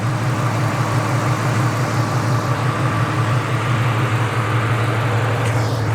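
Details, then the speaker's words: 1998 Ford Mustang Cobra after an AC system replacement and fresh oil change, at warm idle after one heat cycle with a little rev: smooth, even low burble with no knocks, squeals or belt chirp; still a couple of small bubbles; normal idle. "still a couple little bubbles coming out no biggie though sounds very very healthy give her a little rev oh yeah there we go there's some more"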